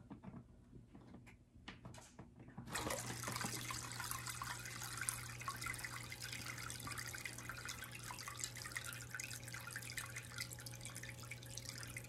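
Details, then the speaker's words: Sicce Syncra Silent 0.5 return pump replacing the cracked, noisy original on a Waterbox 15-gallon mini peninsula aquarium; steady low hum under gurgling water, no rattle or buzz; normal quiet pump operation. "so since i made that video i've moved this tank up to my office as you can hear it's much quieter than it used to be definitely more reasonable for the volume for an office workspace"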